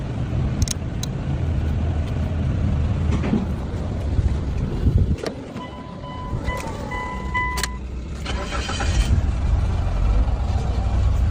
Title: No Crank No Start || Car Start With A Single Wire #shortvideo #nostart